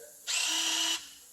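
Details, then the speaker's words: 2014 Chevrolet Silverado with C0398/C0364 codes, front axle actuator commanded via bidirectional scan tool; brief high-pitched electric whir under a second, starting and stopping cleanly, normal engage/disengage, issue believed fixed before clearing codes. "give you guys a good little sound of what it should sound like when you actuate this guy"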